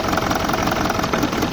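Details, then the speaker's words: BMW E65 4.4-litre V8 diesel (242 kW, EDC16C31), top cover off, injector check: diesel idle clatter falters and roughens as each injector is unplugged in turn, showing that cylinder was firing; two injectors produced no change. "yes it's working let's try the next one ah none of the changes that is gone so go with the next one look it's nothing and then go with the last one okay yes it's working"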